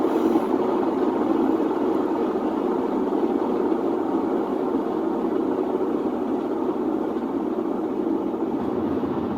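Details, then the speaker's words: Whirlpool WTW4950XW3 washing machine on drain/spin cycle: loud, steady rumbling roar as the drum spins, typical of worn drum bearings. "pero vamos a escuchar este sonido que es lo considero como típico de una lavadora con problemas de rodamientos"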